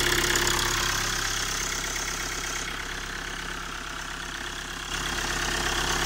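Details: Hyundai Tucson at first cold start of the morning, which stuttered and lacked power on the way to a diagnostic check it passed; uneven lumpy idle pulsing three to four times a second.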